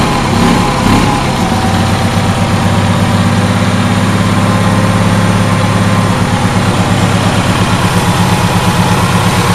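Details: Onan twin-cylinder generator back running after a compression-loss problem was diagnosed (one cylinder's exhaust had been cold, engine shaking), carburetor not yet cleaned: even low thrum at steady speed, regular firing pulses with no skips, both cylinders pulling evenly; healthy, powering two test bulbs.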